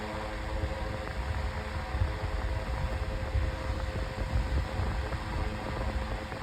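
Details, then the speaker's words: 9-inch Airtek high-velocity fan on medium speed, faster and a little loud but normal for this fan: steady even whoosh with low hum, no rattle, tick or wobble; normal running on medium. "It's going a lot faster on medium this time. Pretty I'm I'm surprised. It's getting a little loud. That's neutral for a fan like this."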